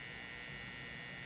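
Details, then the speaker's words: Mid-1950s Canadian GE 17-inch black-and-white TV during first power-up testing with a silicon rectifier: only a steady low buzz and hiss from the speaker, no proper sound. The audio amplifier works and the vertical oscillator is audible; other faults are not yet traced. "I'm also getting some sound out of the speaker, not the sort of hiss I want. Certainly the audio amplifier is working, but I don't know"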